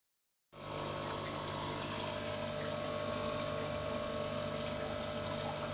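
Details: Fluval FX5 canister filter pump: a steady high-pitched hiss and hum with a faint rough pulsing over the motor, an abnormal pump noise.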